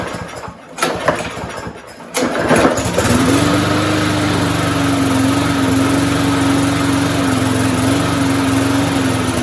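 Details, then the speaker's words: Curbside-rescued MTD walk-behind mower with no blade and no air filter, just started after a couple of pulls; it settles to a steady, even single-cylinder drone with no misses or surging; smoke is suspected to be oil burning off after tipping; normal running. "but uh we'll keep an eye on that before I put it up for sale but I think it'll run just fine"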